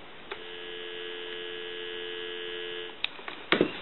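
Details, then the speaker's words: Western Electric 500 rotary dial desk telephone under repair checkout: clean, steady two-note dial tone for about three seconds, then receiver clicks; normal dial tone before calling a time-and-temperature number. "So we'll go ahead and give you some dial tone."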